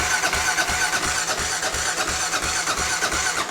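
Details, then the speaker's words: 1993 Kawasaki KLR650 after head gasket, timing chain and bottom-end rebuild, cranked in neutral with fuel off to prime oil: steady even cranking near three pulses a second, no firing or knocks; healthy. "I'm just gonna give it some gentle priming. Just let some oil go through it. There we go. Get some oil flowing through it."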